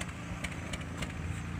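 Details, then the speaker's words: Nissan X-Trail idling, heard at the tailpipe: uneven stumbling puffs, about three a second, vibration and coughing; misfire traced to worn-out iridium spark plugs, fixed by replacing them. "Hai suaranya pincang Eros nikah atau penyebaran kita belum tahu bos mau kita pulsa dulu Bos maksudnya getar Bos maksudnya getar jiwa kita dengar di kenalpotnya Bos suara di knalpot"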